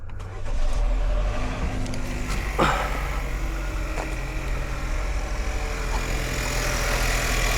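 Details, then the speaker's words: 2016 Chevy Malibu with a no-start after another shop swapped the alternator and starter connectors; connectors now refitted correctly: short crank, then it catches cleanly and settles into a steady, even idle, starting and running normally. "There you go. So, there you go. All it was was two connectors swapped up."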